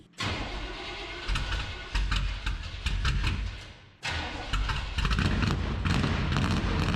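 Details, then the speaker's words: 1974 Chevrolet C10 small-block V8 with new tailpipes, catching and firing up twice, loud open revs climbing and settling cleanly: normal exhaust note. "sounds pretty good we even Drew Chin's attention bodies small blocks not good enough for Mojo"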